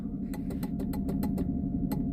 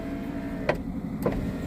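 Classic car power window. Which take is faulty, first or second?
first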